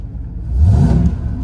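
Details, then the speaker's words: LS engine on Holley Terminator X self-learn tune, acceleration enrichment vs TPS and MAP cut from 7 to minimum to fix an off-idle stumble: picks up cleanly from idle into a smooth rev without hesitation. "and now you can hear the engine responds a lot better. This is nothing but a band-aid before a real tune, but it makes the car a lot more desirable."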